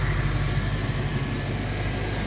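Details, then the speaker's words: 1972 Ford Mach 1, 302 V8, restored; steady even low rumble with smooth unhurried beat and no knocks or misses, docile clean idle, owner thinks it needs a more aggressive muffler. "Yeah, it's pretty docile as you'll hear in the fire up video, especially at idle."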